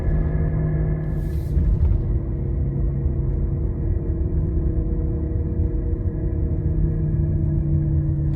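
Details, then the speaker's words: Failed wheel bearing heard while rolling slowly: a steady low droning rumble with a constant hum underneath, much louder around 20 mph, and it goes away or returns with slight steering input. The side is not confirmed. "what's crazy about this noise is it's much louder when you're going like 20 miles an hour"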